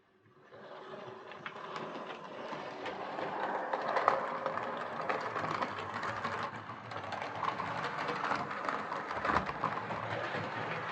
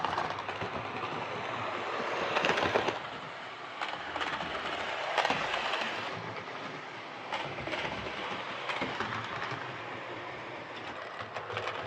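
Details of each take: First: Hornby R2553 Princess Coronation Class "City of Bristol" model loco, before repair, hauling six coaches: irregular light clicking on curves plus scraping, suspected wiper pickups on tender; no traction issue seen. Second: Hornby R2553 Princess Coronation Class "City of Bristol" model locomotive after repair of mangled rods and noise/traction issues: the small motor hums evenly with light rail clicks, no stalling or surging; normal running.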